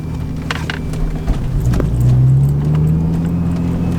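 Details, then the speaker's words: Manual Lexus IS300 running, thin steady speaker whine rising with revs; cheap aftermarket radio's loose connectors, moving wires starts and stops the whine. "it came with like super cheap like Chinese connectors and all of the contacts in them are like super loose so I can just like mess with the wires back there and get the the whining to start and stop"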